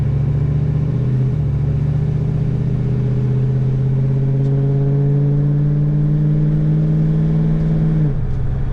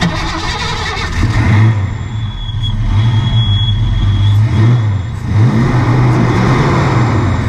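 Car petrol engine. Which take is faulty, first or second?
second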